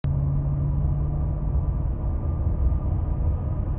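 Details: 2016 Ford F-150 5.0 6-speed 4WD cruising: steady low constant-pitch hum over road rumble, starting at 60 mph on throttle, stopping at 55 mph coasting, occurs randomly; cause unknown.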